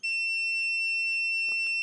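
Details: PS5 Slim Digital with beep on-off fault, short located by voltage injection: steady, unbroken high-pitched tester tone indicating a dead short on the probed rail; hot spot found at APU corner.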